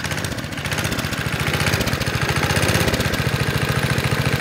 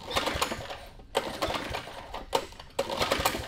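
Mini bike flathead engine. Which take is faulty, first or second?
second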